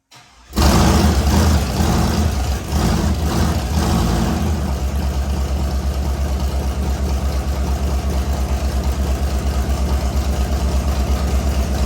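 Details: LS V8 swapped into an S197, rebuilt with a new crank and bearings, first start with no coolant yet. It catches on the first crank, revs briefly, then settles into a choppy, loping cam idle as the engine learns to idle; it runs steady, a normal idle.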